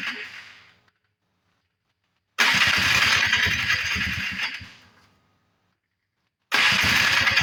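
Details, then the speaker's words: 1994 Polaris Trail Boss 250 non-runner after carb work: two long cranking bursts without firing; engine flooding with lots of fuel, spark plug found soaking wet and fouled. "it's not trying to run it's actually looks like it's actually flooding out what it looks like it's getting a lot of fuel coming up through here but I'm sure the spark plug is fouled out"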